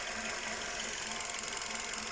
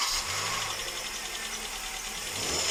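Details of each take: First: Hyundai Solaris engine after chain replacement and adjustment, previously knocking: quiet, even idle with light, fast, regular injector ticking and no knock underneath; normal idle. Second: Cold Hyundai Solaris petrol engine after sitting a day, idling with busy metallic knocking, then switched off; knock persists after timing chain replacement and valve inspection; owner unsure if valve or something rubbing.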